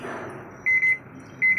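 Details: Sanyo AQUA washing machine built in 2014, customer says it won't spin: after the water drains, it gives two bursts of three sharp high beeps showing error U4. A door-related fault is suspected, not confirmed.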